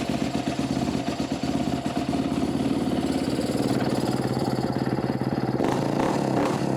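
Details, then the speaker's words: 2014 Kawasaki KX250F, first start-up after fitting an OEM muffler to the header for a full exhaust. Crisp, fast single-cylinder popping with a few throttle blips and no knocks or rattles. Running normally. "now that I got a full exhaust on it I want to go ahead and see if this thing will start up and what it sounds like where I can actually hear the engine running"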